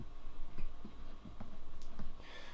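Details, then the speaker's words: Roland JC-120 guitar amp with irregular crackles and pops over a low hum, right speaker only, worse with chorus turned up but present with chorus off; cause unknown. "this is a roland gc120 and the problem is that it makes some noise it's crackling like this"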